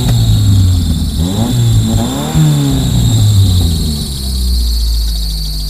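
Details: Honda Accord used for fence-line driving: engine catches and settles into rough idle with a thin, steady high squeal from a slipping accessory belt at start-up, squeak later stopping.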